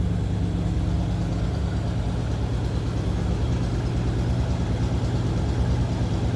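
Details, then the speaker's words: 1956 Chevrolet Bel Air 2-door hardtop with a small-block Chevy V8, heard from the rear: a deep, steady exhaust burble at idle with even pulses and no misfire. A healthy small block. "Nice little rumble coming out of that small block Chev."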